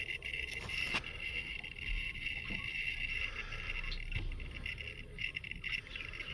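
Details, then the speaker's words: Redmond RM-2302D microwave that works and heats but makes foreign noises: steady running hum with rough, scratchy grinding and occasional clicks from inside; grinding noise while running. "Внутри слышен скрежет. Какое-то измельчение."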